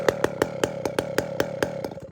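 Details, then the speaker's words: 500i chainsaw with 32-inch bar, after swapping the muffler: sharp popping about five times a second, slowing and fading until the saw dies; it won't idle, owner suspects a low-jet tuning problem. "when I swapped out the muffler the Saw died it it wouldn't idle see what happened"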